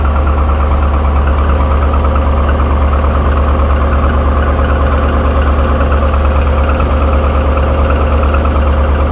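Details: Owner-reported piston slap, 6.0 LS2 V8 in 2007 Trailblazer SS at idle: even, rapid light knock about three per second over the low rumble; GM claims normal, refused warranty repair; cause suspected, not confirmed.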